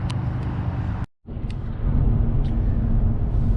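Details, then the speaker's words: 2013 Mercedes-Benz E350 Coupe, two-wheel drive, after replacing both front motor mounts and the transmission mount: low even engine hum at idle, no knocking or shudder, much quieter and smoother, normal. "i don't feel the vibration of the engine here in the body of the car and it's much quieter much smoother at idle"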